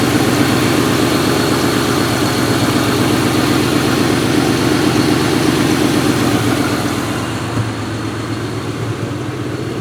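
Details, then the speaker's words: 1998 Ford Mustang GT V8, 131k miles, PI heads, FRPP shorty headers, cold start: quick, fairly even tapping on the exhaust pulses about four per second at idle, with exhaust smell; owner suspects a header leak. "You get a little bit of an exhaust smell on startup. I think that's just the header leak. You kind of hear it tapping."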